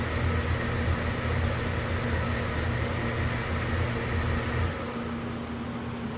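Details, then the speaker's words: Oil boiler burner with a used replacement cad cell fitted after the dirty original was suspected of not seeing the flame: steady burner roar with low rumble for a few seconds, then abrupt shutdown into safety lockout; cause unconfirmed. "oh it went into safety what was that about okay we'll reset it and see what it do again this is the first time it's went into safety in front of us"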